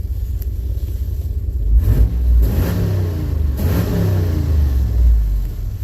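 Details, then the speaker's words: Firebird after about four months in storage, running before leaving storage: deep rumble with quick blips picking up cleanly and settling; throttle response crisp, seems a lot better; owner suspects an exhaust leak. "better never mind that seems a lot better"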